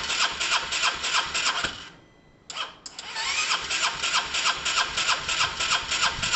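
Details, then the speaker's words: Honda SH125 scooter after wiring and relay changes, spark and timing unchecked (owner suspects timing may be wrong): starter cranks steadily about three beats a second, pauses, cranks again with an odd kick but never starts; crank no start. "uh that was interesting guys there was some sort of kick there was some sort of kick something"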